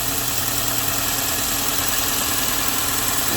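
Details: 2013 Dodge Dart 1.4L with a replacement engine (86k miles) started after long cranking and resting the starter. It settles into a steady, even idle with a smooth low hum and no knocks or misses, running normally.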